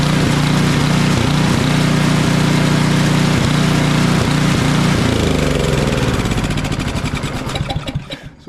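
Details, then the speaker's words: Craftsman 28" snowblower with Briggs & Stratton 1150 Snow Series 11.5 hp engine surges and dies in deep snow off choke but runs well at half choke. Steady drone falters and fades; lean carburetor from water and a worn needle seat. "what it seemed like here is that we've got a carburetor issue or fuel related issue it's not running well with the choke all the way off with a choke about half it runs pretty well"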